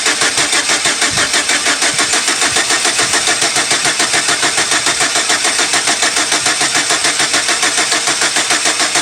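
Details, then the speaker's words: 2006 Chevy Silverado 4.3, intake boot off: steady cranking with soft puffs and smoke back through the throttle body, engine won't catch; hard start, fuel pressure fine at 55 psi, cause not confirmed. "I hear kind of like like a like a like a little puff like poof poof like and then smoke would kind of come up through the throttle body"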